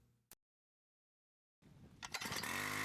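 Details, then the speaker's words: Wick 375 high-pressure fire pump engine, cold recoil start with the choke closed, then opened once it fires. Quiet, then it fires and settles into an even, steady buzzing run with no misses. Healthy cold start. "take a firm grip on the recoil position the dogs and give a quick poll once the engine stars or when you hear the first ignition fire set the choke to the open or run position"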